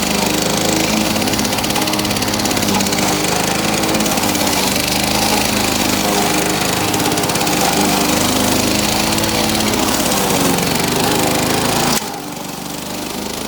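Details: Victa two-stroke lawn mower rebuilt from two parts mowers, test run after rebuild; crisp steady buzz holding even speed without stumbling, then shuts off cleanly; healthy engine.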